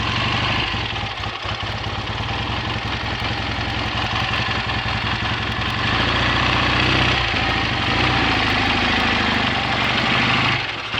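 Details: BSA A65 Thunderbolt parallel twin idling steadily with even beat, no missed firings, after closing spark plug gaps cured an occasional Boyer ignition misfire under load; new plugs, resistor caps and battery, clean carb and fuel lines, charging confirmed good.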